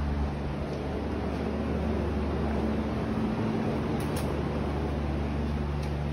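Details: Hessaire evaporative cooler in a Phoenix garage, one year old, blowing about 69°F air. Even fan whoosh with a soft, constant motor hum and no rattles or surging; running normally.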